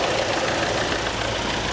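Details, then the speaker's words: Near-new Kia Forte with about 4,000 miles at a salvage auction: the earlier engine rattling is gone, leaving a steady idle with a light, fast, even tick; normal direct-injection injector noise, no smoke or leaks. "I was concerned with the amount of rattling coming from the engine, but as you can hear, that's gone. All you can hear now is the direct injection."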